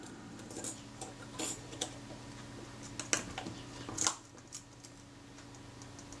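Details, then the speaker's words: Kodak Retina IIIc shutter after repositioning the slow-speed gear train and recoupling it to the pinion: at 1/8 s a sharp release click, then a short even buzz that stops cleanly; 1/8 and 1/15 now sound right, normal slow-speed escapement. "the eighth of a second position that sounds better and the 15 yeah that sounds good"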